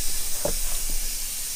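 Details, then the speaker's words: 2008 Mercury 225hp Optimax gearcase, removed after water was found in the lower unit, under pressure test: faint steady hiss with short puffs of escaping air; checking for bubbles, leak at the prop shaft seals. "oh yeah so it's leaking from there but you know generally like we want to see all of them we know where all of them are doing this so we'll just go around here we see air bubbles then we know"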